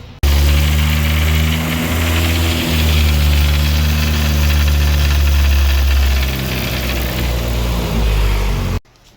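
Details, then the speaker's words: Honda (EF/RSX/Integra work) revved while bleeding the cooling system: rough drone rising and falling with revs over a dull bottom-end knock; oil pressure about 30–40 psi warm at idle. Bottom-end engine knock. "so you can hear as we rev it up and we're bleeding the system out uh with the coolant the cooling system you can hear that noise on the bottom end which is not not good"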